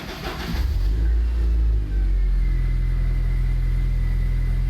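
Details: Abandoned Land Rover Freelander after replacing a blown fuel pump fuse so the pump primes: engine cranks, fires and revs briefly, then settles into a strong, steady low idle with no misfire; some dashboard warning lights on.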